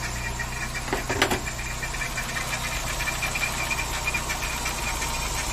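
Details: VW Saveiro G4 with AP 1.6 engine idling with the valve cover off; light uneven tapping, sharper near the front; owner suspects the timing belt or pulley area, source unclear.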